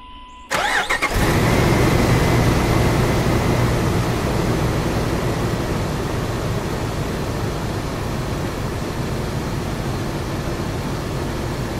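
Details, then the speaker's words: 1996–2006 Jeep Wrangler TJ/LJ 4.0L straight six after a fuel rail heat shield install, started again with a straight crank and no fuel leaks: catches on the first crank, a brief rev, then a steady idle with no misses. Healthy. "Sounds great. I think we'll call this a success."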